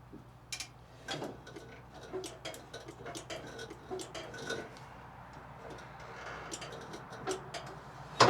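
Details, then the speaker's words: 2004 Hustler zero-turn mower with no spark and no start: blade/brake safety switch pressed and released by hand gives crisp irregular clicks in a quiet room; safety switches working normally. "one's working. You can hear it clicking. That one's working. So, those safety switches seem to be fine."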